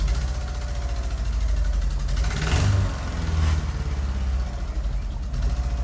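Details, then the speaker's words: Mitsubishi Evo VIII started after sitting over a year in the garage: idle hunts and dips as if about to stall, smelling very rich, then holds. Unstable idle after long storage, cause suspected, not confirmed. "well it definitely wants to die"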